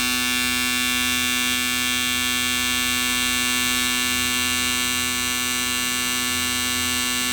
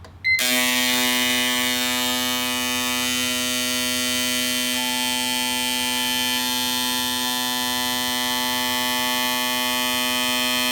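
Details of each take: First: Race car fuel injectors used with E85, flow-tested on an Autool CT200 bench cleaner after dyno problems. Steady rapid buzzing at about 3–4 clicks per second. The dirty injectors flowed unevenly (66, 87, 100, 90 ml); clogged injectors. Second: Brand-new set of four fuel injectors, flow-tested for comparison on an Autool CT200 bench cleaner for an E85 race car. Steady high-pitched rapid buzzing, even and unbroken. Flows were closely matched (92, 90, 91, 88); normal injectors.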